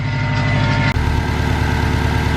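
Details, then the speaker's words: Subaru Legacy GT just after engine reinstall, coolant spilled steaming and loose AC belt noted: steady, even low idle with constant rumble, no knocks or misses, no check engine light; running fine. "seems to be running just fine sounds fine and there is no check engine light"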